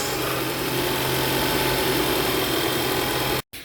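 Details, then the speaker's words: Ford Explorer petrol engine at steady idle right after starter replacement; still one click on starting but the grinding noise, blamed on a damaged starter tooth, is gone. "Okay guys, so still is one click, but the grinding noise is gone."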